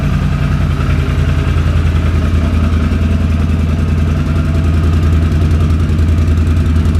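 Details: 2006 Can-Am Outlander Max 500 ATV idling after a bad battery (no ECM communication) was replaced with a new 12 V AGM battery: steady, even low idle with a smooth regular pulse, no knocks or misses; healthy normal idle.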